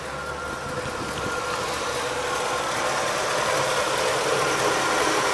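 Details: 1985 Oldsmobile Delta 88 with the 5.0 V8 after the squealing shared fan belt was fixed by removing the power steering belt and running the alternator belt only: steady, even idle with a smooth low rumble and no squeal or chirp.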